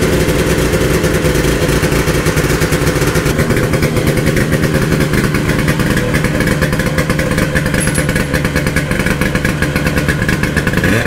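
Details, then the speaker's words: 1972 Ski-Doo Nordic 440 two-stroke snowmobile after a full engine rebuild, new plugs and carb adjustments, driven at steady speed: loud, ragged, uneven burble that never smooths out, starving for fuel from a partly blocked pump. "okay everybody it's actually a few days later the test drive didn't go too well like it was starving for fuel"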